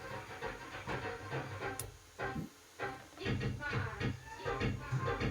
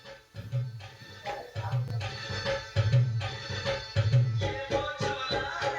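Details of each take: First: Ahuja SSA-250 250 W amplifier before repair plays MP3 music rough, crackly and blurred, getting worse at raised volume. Distorted output. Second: Ahuja 250 W amplifier after both mismatched transistors were replaced plays MP3 music clean and steady, with firm bass hits and no hum, crackle or breakup; normal amplifier output.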